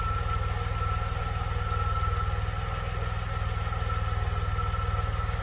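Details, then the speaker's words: 1982 DeLorean DMC-12 with 5-speed manual, fully warmed up after a slow warm-up. Even, steady low pulsing about four beats a second, no misses or knocks. Idling around 750–775 rpm, near the roughly 750 factory setting; normal. "took a little while to get up to um warm up i guess i mean it's obviously warmed up now"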